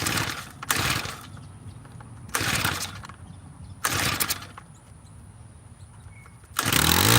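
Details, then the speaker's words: Tiller being started with choke off, in run position, after carburetor screw adjustments: three pull-start bursts die away, then the engine catches roughly and runs unevenly; owner suspects it is not getting enough fuel. "What could that sound mean? Only thing I can think of is it's not getting enough gas."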